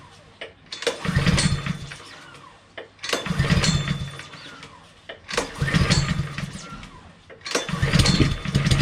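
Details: Brand-new Honda IZY lawn mower (new 2020 engine model), first startup after filling with oil: the small petrol engine fires cleanly and runs in even surges about every two seconds, with no knocks or misfires. Normal running.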